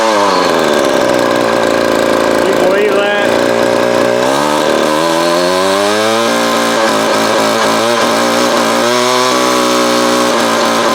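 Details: Vintage Craftsman 22.2cc 14-inch two-stroke string trimmer, estimated early-to-mid 1980s, original spark plug and fuel filter, fuel line replaced and carb cleaned; revving up and down, pitch rising and falling cleanly, no bogging or stumbling; healthy.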